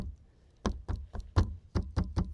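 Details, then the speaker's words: 2023 VW ID.4 Pro AWD, around 56,000 miles: rear doors shut with solid, dull thuds, no ringing or rattle afterward; normal closing, unlike the one door with a tinging from something loose inside. "you can hear kind of a tinging that you hear when you shut the door that on this door and all of these other back doors, you don't hear any of that."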